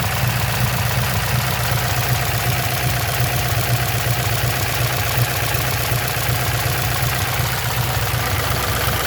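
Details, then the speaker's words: LQ4-swapped LS V8 with stage 3 truck cam, beehive springs, DOD delete and LS7 lifters, heard under the hood at idle: faint steady valvetrain tick over exhaust rumble; owner suspects low oil pressure. "think I figured out what my valve train ticking noise is. I'm pretty sure I'm supposed to have more oil pressure than that."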